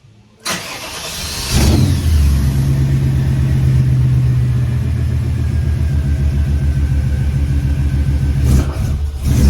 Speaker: What else did we get done tonight? I really think that's about it tonight. And we got to hear it run. That's awesome.